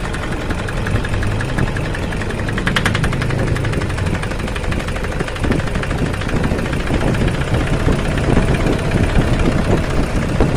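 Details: Toyota Fortuner common-rail diesel: rough, uneven idle with shaky clatter over a heavy low drone, engine vibrating; cause found outside the engine, a faulty injector driver, so no engine teardown is needed.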